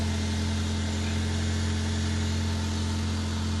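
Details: Honda Civic Sport EP2 four-cylinder at idle in neutral, just started after radiator, thermostat, spark plugs, coil pack and battery replaced, heater on: smooth steady even hum with no misfire stumble or knocking; normal idle.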